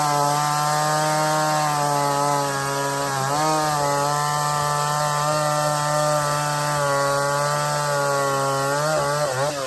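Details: Stihl 024 chainsaw after a cobbled aftermarket air filter and carb tuning, started cold without choke, cutting firewood on tractor forks: high steady two-stroke scream holds pitch under load with slight dips, sounds good up high, not missing much.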